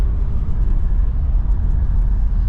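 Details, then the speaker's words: 2002 Audi A4 Quattro 1.8T, warmed up and cruising after cam chain tensioner replacement and top-end reassembly, with a cylinder 1 misfire code cleared: a smooth, constant drone with no tapping or grinding. The engine is running normally. "Okay, now we're doing good. It's driving just fine. Seems like everything's working."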